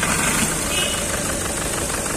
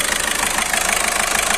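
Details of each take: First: Skoda Rapid petrol engine idling with visible shaking and an irregular low thump; misfire with rough idle, check-engine light on, scan points to cylinder two injector circuit; low pickup, injector servicing. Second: Skoda Rapid petrol engine after repair of a cylinder 2 injector misfire that caused shaking and a malfunction light: injector serviced and a sensor replaced, now idling with a steady, even pulse and no misses.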